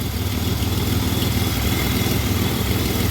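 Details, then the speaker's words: 2007 Pontiac Grand Prix V6 with reman heads idles warm, coolant about 181°F with a 180 thermostat, 66°F outside, showing a steady puffing tick about three a second over the low rumble from an exhaust leak. "can really hear the exhaust leak oh yeah she's beating off coolant temps staying this right at about normal where it normally sits because it's got a 180 thermostat"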